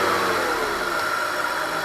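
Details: BMW E46 323ci M52TU engine after repairing a DISA valve that would not hold vacuum: clean engine note rising under light revs, no whistle or flutter; the small noise previously heard when revving seems gone; DISA working properly.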